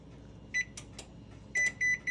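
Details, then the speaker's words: GE range, model PB950SF2SS, showing an F20 code, set to bake at 350: short electronic beeps, one then three, as if at temperature while the oven is cold; the oven temperature probe/sensor is not communicating with the board. "bake let's put 350 start I want you to see if you hear the relays it's going to beep automatically like it at temperature but it's not the oven is not hot at all"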